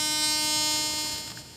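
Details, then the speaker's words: Teknetics T2 metal detector threshold tone turned up during setup: steady buzzy background hum holds over a second then fades; set so a faint tone is always heard to catch deep targets; normal threshold tone. "ये अभी आपको पीछे हमेशा एक आवाज़ दिखाई दे रही है ना, इसको थ्रेशोल्ड भी कहते हैं।"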